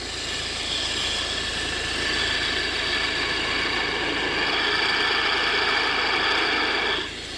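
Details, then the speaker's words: Volvo V50 1.6 diesel, whine that appeared over the last few thousand km, mic at the belt drive at idle: a constant high-pitched whine over the engine hum; bearing noise from a worn belt tensioner or alternator. "definitely some kind of bearing noise there."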